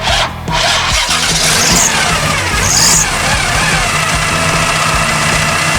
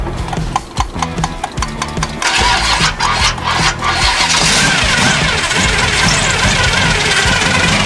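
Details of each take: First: 1974 Chevy Nova with a 4-barrel carb after years sitting, running with the air filter housing off. It catches and settles into a steady, even run with no misses or knocks. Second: 1974 Chevy Nova started for the first time in years: uneven cranking stutters for about two seconds, then it catches rough and roars up. Fresh gas was added, but very old, red gas is still passing through the fuel filter, so it is hard to fire.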